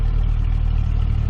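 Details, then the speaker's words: 1998 Jeep Cherokee XJ idling after crankshaft position sensor replacement: low, steady, even idle with no stumbles; the occasional miss it had at idle before is gone. "lights sounds good no more Miss well it fought me every step of the way but I can say that uh that definitely made a difference on the Mist"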